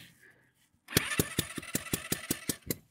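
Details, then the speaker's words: Scooter compression test while cranking with the throttle open: even, rapid hissing puffs about four per second as pressure escapes past the push-in compression tester adapter, which is held by hand and not sealing. "Nee, wie wie man hört, entweicht da der Druck. Ähm, ich halte den wohl ein bisschen falsch."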